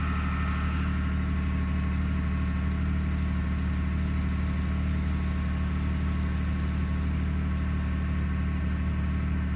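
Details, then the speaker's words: 2021 Ford F150 PowerBoost, remote cold start at -16°C. A loud, steady low drone with a rough, churning cavitating/grinding undertone. It happens only at about -11°C and below; cause unknown, and Ford has not diagnosed it. "So the noise is still there. Something clicked, but I don't know when it starts. When it starts pumping something, but who knows? It's really loud."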